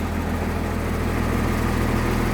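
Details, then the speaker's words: 1996 Blue Bird bus diesel, cold idle after start, seats removed: deep steady throb with loose panels buzzing, shakes more when cold; 50 psi oil pressure, alternator coming up, half fuel; normal. "You can hear more vibration now because everything's out of it. When it warms up, it won't shake as much, but when it's cold, it's really going to shake. Just the way diesels are."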